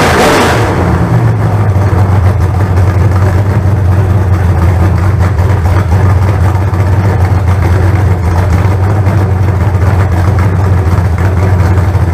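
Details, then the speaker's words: Freshly built 388 small-block Chevy on the run stand, first fire-up with good oil pressure: strong, steady deep V8 rumble holding an even beat at idle, no knocks or ticks; sounds good. "they're good right there that's my house sucker sounds good"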